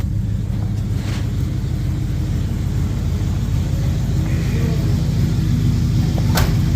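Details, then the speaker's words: 1971 Oldsmobile Cutlass V8, carbureted, just started after sitting, with a different battery; steady, even low rumble, no knocks or misses; normal idle. "Nice. Sounds pretty good. She's running pretty good. Sounds good anyway."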